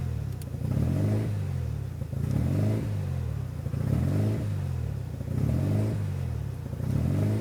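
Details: RHD 1993 Mazda RX-7 rotary just after installing a Power FC (wires not cut): idle lumps and surges about once a second with a low uneven drone; rough, unstable idle, cause unconfirmed.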